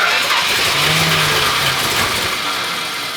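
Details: Restored 383 V8 with crack-welded block, first start in the car: steady cranking about 200 beats a minute that never fires. Timing still seems a bit retarded and fuel hasn't fully reached the carburetor, so it needs priming.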